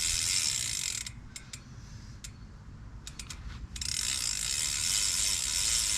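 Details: BMX drivetrain spinning: fast, fairly even gritty ratcheting clicks, a bit under four a second, from a chain described as very dirty, before cleaning. Chain drivetrain noise.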